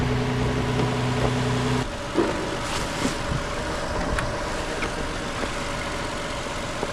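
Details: 2015 Toyota Sienna with a crank-no-start, running during testing with a test tool: for the first couple of seconds a smooth, even idle hum with no misses or knocks, then the sound changes; it idles normally.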